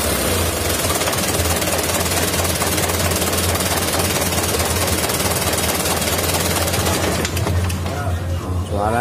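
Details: 2011 Mitsubishi Canter Super Speed diesel truck with harsh running, a tak sound when shut off, heavy throttle and low power; loud, harsh clattering with an uneven hammering rattle over the idle; cracked injection pump timer found on inspection.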